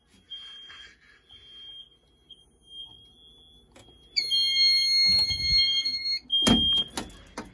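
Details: Wheelock/Honeywell fire alarm system test on a Fire-Lite MS-9200UDLS panel: kitchen smoke alarm tripped, a piercing chirping beep then loud layered Wheelock MT horn tones; alarms keep sounding ~20 seconds after reset; all working properly.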